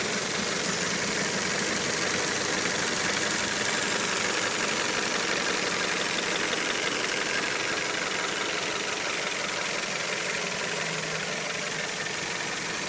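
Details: Well-built, run-in, warmed-up Toyota 4A-GE idling with the fan on: steady even idle around 800–850 rpm, as Haynes and Toyota specify, with no knocks, ticks or hunting.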